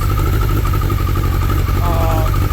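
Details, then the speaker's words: 2003 Suzuki Hayabusa with full Yoshimura 4-into-1 exhaust and no Power Commander: deep, even exhaust burble at idle with no clutch clank; runs rich with black smoke despite correct fuel pressure, and owner suspects a flashed ECU. "Fuel pressure's good. It runs great. It's idling."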